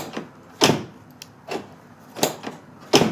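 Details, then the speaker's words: 1995–99 Nissan Maxima (4th gen): pressing lock or unlock gives soft clicks and thuds in the door but the door doesn't lock and still opens; failed door lock actuator. "all righty folks so here's this symptom whenever you go to lock the car or unlock it sounds like something's happening but nothing really is happening"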